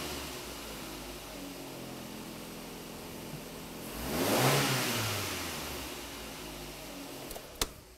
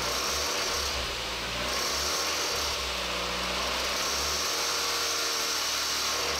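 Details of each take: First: Engine at 300,000 km that made noise at 2000–3000 rpm from a defective timing belt tensioner, tested after the repair. Revs rise smoothly and settle to an even idle with no ticking, knocking or rattle; healthy. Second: Engine at 300,000 km, noise at 2000–3000 rpm, heard with serpentine belt removed: hissing whirring note with uneven rapid rattle; defective timing belt tensioner, risk of engine damage.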